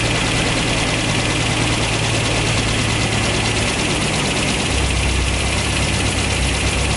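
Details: Toyota 22RE four-cylinder dually truck just after Redline Beast Cam install, distributor timing set to about middle: steady even idle with no knocking or misses; sounds healthy, owner unsure if any lumpier.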